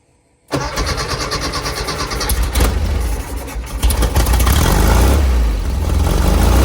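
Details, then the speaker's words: 1970 VW bus flat-four with dual 34 carbs, after tuning and fitting a CSP bell crank linkage; idle screws about two turns out, mixture one and a quarter out: starts promptly, settles into a smooth, even idle. Carbs balanced. "okay it's got a nice sound to it the idle sound pretty good it seems to be balanced enough"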